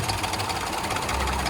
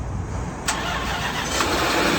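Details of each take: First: Range Rover L322 5.0L supercharged, first start after the battery was stone dead: loud, busy clatter with a slightly uneven beat at start-up before a rev; rough start-up, cause unclear, not that bad. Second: Range Rover L322 5.0 supercharged V8, bought very broken with a dead battery, cranks quickly and settles into an even idle with no startup chain rattle; normal-sounding start.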